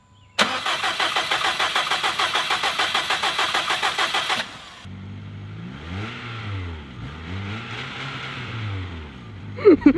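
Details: 2017 Subaru STI after engine swap, new fuel system, fuel pressure just raised after reading low: fired briefly and died, now starter churns about two beats a second for four seconds without catching; crank no start.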